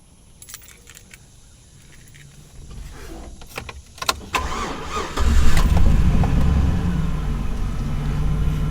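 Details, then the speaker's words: GMC Sierra with a year-long hard-crank problem, restarted about 10 minutes after a run following replacement of the gas cap: keys jingle, a short crank, then it catches promptly and settles into a steady low idle. "cranked pretty good"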